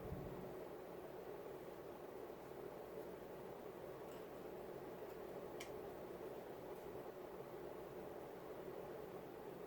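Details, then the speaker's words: Late-1980s Casablanca Four Seasons Inteli-Touch 48-inch ceiling fan on speed 6 (high): a steady, even airy whoosh with a faint hum and no wobble. It is running normally. "And finally, speed 6, which is high. And like I said, no wobble at all."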